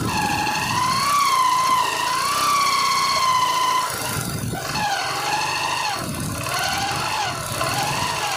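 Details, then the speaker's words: Old-model Yamaha Crux motorcycle on test drive before repair: wavering whine over the engine rising and falling with road speed; engine sound changed, traced to worn primary drive gear. "हमने test drive लेकर आए हैं और आप देखेंगे किस तरह से इंजन का साउंड ए रहा है आने का साउंड ए रहा है"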